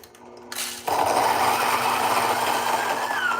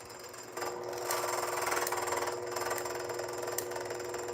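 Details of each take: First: Fellow Ode Gen 2 coffee grinder that had been intermittently seizing, with chirping suggesting contact, after being opened up: quiet hum, then motor spins freely in a steady, even whir with no catching. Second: Fellow Ode Gen 2 coffee grinder with intermittent seizing, run empty: motor whine with fast uneven rattling flutter of burrs chattering together.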